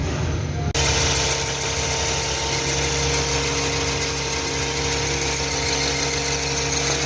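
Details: 2009 Toyota Highlander/Kluger 3.5 V6 at idle before repair: constant high-pitched squeal from the noisy drive belt tensioner, which briefly goes quiet when sprayed; belt tensioner squeal, then drive belt and tensioner replaced.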